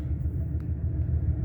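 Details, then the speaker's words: 2003 Ford Expedition 5.4 V8 after the idle air control valve was replaced, fixing a roughly 2000 rpm high idle: an even rumble with a steady idle pulse at about 800 rpm and no misses, ticks or hunting. Normal idle. "so i'm gonna shut it off it's idle and nice it's about 800 rpms"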